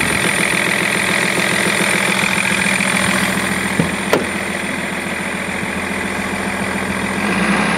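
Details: BMW E46 330d six-cylinder diesel at steady idle: light, fast ticking clicks riding over the diesel clatter; source of the click not pinned down.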